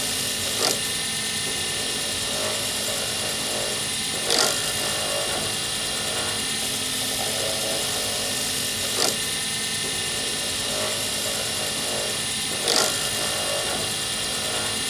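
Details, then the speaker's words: Circuit board D-shaped blank turned on a lathe for a Sierra pen kit: steady high lathe hiss with a sharp scraping tick about every four seconds as the tool catches and scratches the blank, the sound to avoid. "Well, I hope you could hear it. That's what it sounds like when you make a scratch on a blank, and that's what you try to avoid."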